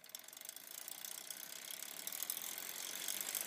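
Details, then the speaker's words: Campagnolo 11-speed bicycle drivetrain in a cross-chained gear: a fast, uneven, high-pitched rattling buzz of about four ticks a second. The chain catches and skips on the cog despite trying several lubricants, and vibration is felt through the crank. "what is the oily chain going to do when it's actually popping you know off of those uh see that one it gets held and pops"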